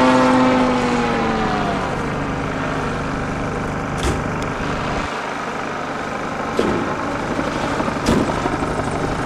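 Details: Engine failing on a steep climb-out: the engine drone drops sharply in pitch within a second or two, then mostly wind rush remains. The engine is losing power; cause unknown.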